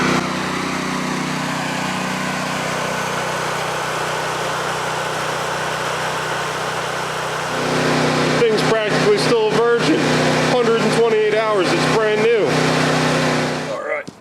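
Steady, even engine drone at constant speed with no knocks or misses; engine itself sounds healthy.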